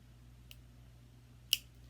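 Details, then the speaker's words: Omnipod DASH insulin pod priming after Bluetooth pairing, with two small sharp clicks about a second apart in a quiet room. This is normal priming. "now the new omni pod - does communicate via bluetooth now it says priming can you hear it clicking"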